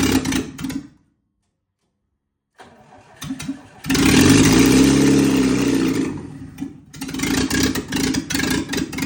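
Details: Lada Niva 2121 first start after repair: brief cranking, then the engine catches around four seconds and revs up strongly before settling into an uneven idle; normal start.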